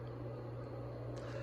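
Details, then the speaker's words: G.E.M.C. 48-inch ceiling fan running on high: steady low hum with a constant rough whir across the mids and no speed change; worn motor bearings, though the fan still runs fast. "We'll crank it up to high. Ooh, you can really hear those bearings. And like I said, this fan's a hurricane."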